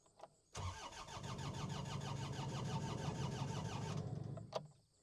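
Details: New Holland L218 skid steer diesel, filters full of fuel: starter cranks steadily at about three turns a second for three seconds but never catches; crank-no-start, later traced to two bad relays.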